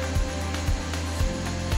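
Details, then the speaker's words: Unie V6 nut-milk maker (1000 W grind, 800 W heat, 1.75 L glass jug) grinding while cooking at 100 °C: steady motor hum with dull thump about twice a second as the jug vibrates without shifting; normal operation. "Những cú xoay của nó có thể làm bạn giật mình, nhưng mà máy thì chủ yếu chỉ rung chứ không xê dịch nha."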